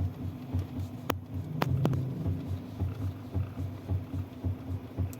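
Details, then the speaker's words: Mitsubishi Xpander: dull, uneven thumps and sharp knocks when the steering wheel is turned back and forth, from a loose, worn tie rod end. The rack is okay, and both tie rods are to be replaced. "Pero itong ti Rod naku po kalog yung ti Rod kaya pag naglilikot ako ng manibela Ayan yung naririnig niyong sounds"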